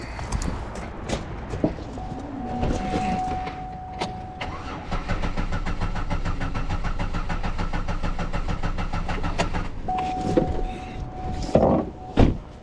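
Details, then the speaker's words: 2009 Buick LaCrosse crank no start: starter whirs steadily for several seconds, engine turns over but never catches; no crank sensor signal, needs crank sensor (or sensor gap possibly wrong), sensor at lower left front of engine. "But yeah, alright, this thing needs a crank sensor."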